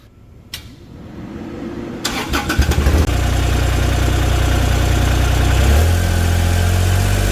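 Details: Kubota RTV1140CPX, D1105 diesel, after replacing plugged muffler that caused low power and black smoke: brief cranking, fires at three seconds, steady even diesel beat, revs higher, smoke virtually gone; running normally.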